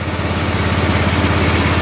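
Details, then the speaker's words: 1988 Club Car golf cart, 8.5 hp Kawasaki engine, barn find being revived: governor disconnected, idle raised, idle mixture screw backed out considerably, in gear and warming up; small single-cylinder putters at a quick even pulse with no stumbling, a steady healthy idle. "the idle mixture screw out quite a bit evidently we're in gear it's running good see we can adjust the carburetor a little bit starting to warm up"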